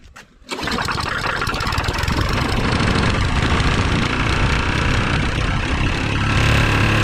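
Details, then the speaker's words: A rebuilt lawn mower engine starts on starting fluid at high throttle and runs with a hard, regular knock, about four a second. The connecting rod was already noisy on assembly and is too loose; it is not expected to last. "Yeah, we got a little trouble. I think that knocking is that connecting rod."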